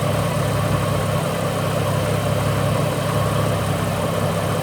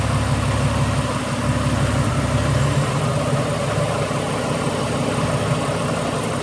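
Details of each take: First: Ford BA Falcon inline-six after replacing failed ignition coils: smooth, even idle with a steady low hum and no stumbles or misses; the air conditioner is on, adding brief load. Running cleanly after repair. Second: Ford BA Falcon inline-six at idle with misfire: rough, uneven idle, exhaust beat stumbling irregularly; misfire traced to failing original ignition coils on the three front cylinders, back three already replaced.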